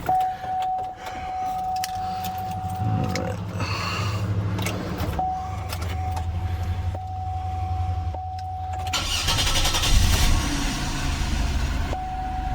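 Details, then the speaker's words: 2001 Monte Carlo 3.8L with random stalling, stumbling and no-starts: after reinstalling the ignition module and coil, it starts quickly and settles to stable rpm. "very nice start it up nice stable rpms"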